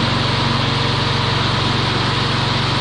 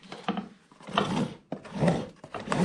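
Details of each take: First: Troy-Bilt TB360 mower, sat about 4 years, with the self-propel ring gear removed to convert it to push. It runs smooth and steady with no metallic clanging on startup, then shuts off and spins down cleanly: healthy running. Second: Troy-Bilt TB360 self-propelled mower, sat about 4 years with jammed drive and destroyed belt: rough rasping bursts with each shove as the rear wheels turn the drive gears instead of freewheeling; hard to push.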